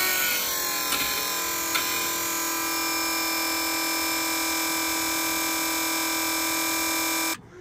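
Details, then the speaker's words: T-72 tank repaired electric engine oil priming pump refitted in the tank, first test run: steady even whine holding one pitch about seven seconds, then clean cut-off; pump runs smoothly and gives oil pressure. "oh what a machine oh fantastic that's not done that for a long time we got the pump in and we've tested that and we've got oil pressure"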